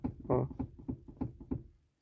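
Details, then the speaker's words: Chevrolet Onix/Prisma passenger seat rocked by hand: dull wooden knocks, about six in under two seconds; caused by a loose bolt on the seat rail. "você vai ouvir esse barulho aqui ó vendo esse barulho pessoal e ele aqui no banco ó tá ó você balança o banco aí se banco que o banco passageiro"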